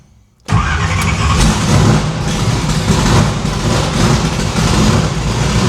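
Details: No-prep drag-racing stick-shift V8 after new PAC valve spring install: previously run on four plugs, now all eight plug wires on, headers still cold on one side. Fires up to a smooth, even rumble with clean throttle blips. Sounds much better on eight; valve springs seem okay, and distributor index/rotor button fix expected to cure the misfire.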